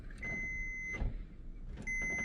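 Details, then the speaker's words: Kenmore dryer that won't start, unplugged, on/off start switch tested with a multimeter on continuity; two steady high beeps as the switch closes, stopping when it opens; continuity present, switch good. "you can hear our DNA is clicking So we know that there is continuity going through that switch so we know that that switch is okay"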